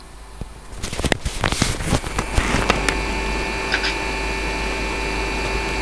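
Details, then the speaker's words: Riden RD6012 power supply with added thermistor temperature-controlled cooling fan, microphone at the fan, zener changed: clicks then fan hum swelling to a steady whir as thermistor heats, slowing when cooled; normal temperature-controlled speed-up. "and it will slow back down again once the thermistor's cooled down which it has done there so it's temperature controlled"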